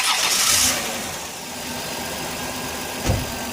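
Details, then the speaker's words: 2001 Dodge Grand Caravan EX, about 329,000 miles, cold start after sitting two days, following crank/no-start and engine-noise repairs: brief crank, catches within a second and settles into a smooth, even idle with no knocks or ticks; normal. "start list is how nice she sounds almost 330,000 mies sounds good"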